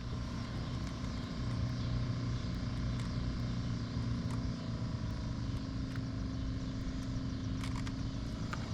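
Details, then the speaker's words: 2017 Nissan Titan, before replacement: steady low blower fan whir under truck hum, faint even tone settling in after the old worn-out motor was slapped and kicked on; failing blower motor, resistor working, motor being replaced. "But right now the blower motor resistor is working as it should with this old wore out motor in it."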